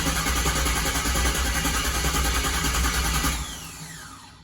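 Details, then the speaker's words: First start after a Holley Terminator X Max EFI install, TPS at 0%: the starter cranks steadily at about three turns a second but never catches. The pump was wired to the fuel gauge sender (purple) instead of the gray pump-power wire. Crank no-start, fuel pump unpowered. "i don't hear the fuel pump running i'm gonna have to check that try again"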